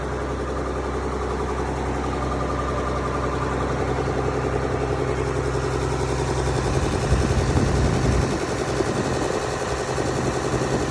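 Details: Mack B61 semi diesel with auxiliary fuel pump pre-run to build pressure (3–7 psi), 70 degrees water temp: steady low idle with a slightly uneven beat, load changing near the end; stalled only under throttle; marginal fuel supply suspected, not confirmed.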